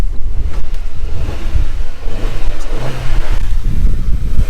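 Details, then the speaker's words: Audi A3 1.8T, 180,000 miles, engine management and battery lights on. It was shaking and sounding like it wanted to cut out at idle. Throttle blips then bring a deep, clean rise and fall without misfires or rattles, so it revs normally. "sounds perfectly fine but yeah we'll get to the bottom of that"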